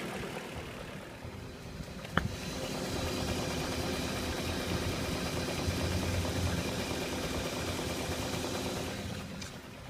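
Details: 2001 BMW 540i E39 V8 automatic knocking at idle, source unknown; chain tensioner replaced a week earlier and oil pan dropped with no plastic pieces found. Steady rhythmic knock rides over the engine note, cause not pinned down.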